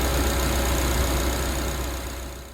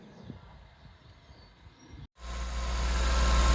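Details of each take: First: Suzuki Jimny, previously idling high, tested after the throttle body idle control valve was fixed: steady, even low idle drone with revs easing down and no hunting; idle settling where it should. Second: Warm Suzuki Jimny petrol engine idling near 2000 rpm instead of just below 1000: busy, over-revving drone from a stuck idle control valve.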